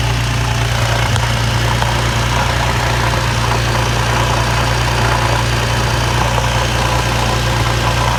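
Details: Infiniti G35 at idle, burning a lot of oil, with irregular chatter from under the car that began after the idler pulley was deleted; owner suspects the throw-out bearing, shop checks found nothing wrong.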